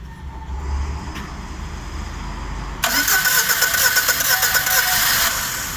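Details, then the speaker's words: On a VAZ-2113 that overheated after long high-rpm driving and nearly stalls at idle: it catches after about three seconds of cranking, then idles lumpy with an uneven thump about three a second; one cylinder seems to be misfiring. "Заводится, конечно, нехорошо, как будто в одном цилиндре проблема."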